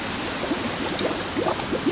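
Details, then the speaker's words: 1948 Silver King tractor radiator pressure-tested at a pound or two with a new gas cap fitted; steady hiss with light bubbling as air escapes at the filler neck, the only leak seen, other repaired spots holding. "when I had the trash bag on there I was seeing no leaks except for the filler neck"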